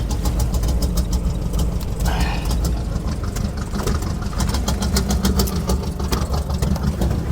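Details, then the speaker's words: Suburban at idle after the spark plugs and wires were checked: still an uneven, stumbling idle with a skipping beat and ticking, engine visibly shaking. The misfire persists and its cause is still unknown. "Well, as you can hear, it's definitely fixed. No, not even a little"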